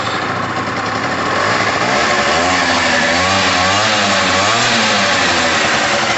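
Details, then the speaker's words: Pulse Force 50cc two-stroke scooter starting after new fuel line, two-stroke oil in the petrol: crackly buzzy idle with revs drifting gently, firing steadily without misses; normal two-stroke running. "that two-stroke sound we're looking for there is two-stroke oil in the petrol so we're okay at the moment"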